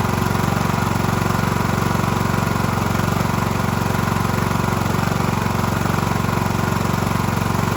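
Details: Cub Cadet LT1045 (276 hours) with a freshly fitted replacement engine, original cracked and seized; started on choke with a jump pack: even, steady twin-cylinder thrum at about four beats a second, no knocks or misfires. Running smoothly.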